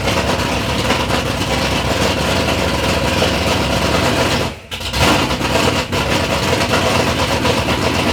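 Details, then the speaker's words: 3rd-gen Camaro big-block Chevy V8, first start after years of building: loud, lumpy idle holding steady apart from one brief dip, no knocking or ticking; normal idle, sounds healthy. "but initially we got to hear the motor run sounds good"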